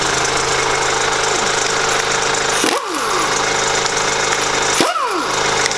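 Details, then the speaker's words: Kia Grand Carnival with 100,000 km, idling: besides normal engine sound a high bird- or cricket-like chirping squeak in short falling sweeps, heard best at the wheel with tire removed; crankshaft damper pulley failing, green powder visible, pulley to be replaced. "There's a strange noise, like the sound of a cricket, like a bird, in addition to the basic sound of an engine I can hear it better from the wheel"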